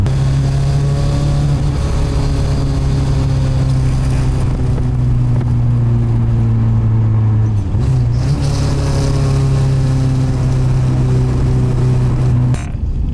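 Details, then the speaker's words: K24-swapped Nissan Cefiro on a road drive under load: steady low drone holding with road speed, dipping briefly on lift-off; atrocious drivetrain vibration passed through a poor transmission mount, later fixed with a homemade mount using LS valve springs. "Jesus Christ, dude. Vibration. Oh, dude, we're not even there yet."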